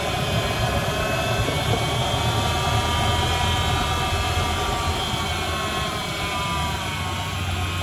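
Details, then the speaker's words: Ford engine idling after power steering pump reservoir leak repair with fresh fluid: steady, smooth low hum with no knocks or misses; checked for leaks, none, running normally. "All right, we're gonna start it up, see if we have any leaks. No leaks."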